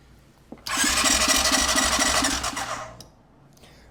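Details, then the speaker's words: ATV: starter spins the engine quickly and evenly for two seconds, no firing or catch. Fuel pump runs while cranking; owner suspects no compression. "Huh. I don't think we have compression. It's turning over pretty fast."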